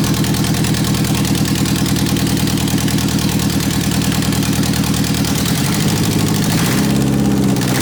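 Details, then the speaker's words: 1991 Eagle Talon TSI AWD on its first startup after fitting a new fuel pump: loud open-header exhaust with an even, steady firing beat, then quick blips where pitch climbs and settles; runs and revs normally. "that's the first startup first time it's ever been running I'm really happy"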